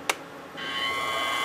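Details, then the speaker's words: Small hobby mill with plastic gears, overworked with a 3/4 bit; motor spins but bit doesn't. A click, then steady free-running motor whine with no cutting sound; owner suspected stripped gear, inspection found the gear cracked. "my motor's spinning but my my bit ain't so uh let me take it apart and see what the damages are"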